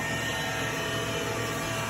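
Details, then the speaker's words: 2012 Tormach Series 110 CNC mill, spindle running and ramping toward speed 10, oiler pressed at intervals: steady even whir, constant high tone, no knocks or grinding; normal spindle running. "You can see the spindle spinning now, hear it."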